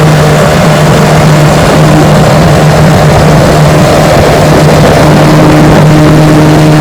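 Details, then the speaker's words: Restored 1968 Johnson/Evinrude 9.5 HP outboard on a 14-foot Feathercraft, about 17 mph, full throttle: high steady scream held without stumbling or misfiring; running strong. "She runs just fine. Pushes my 14-foot feathercraft about 17 miles an hour. Let's give her a run, see how she does."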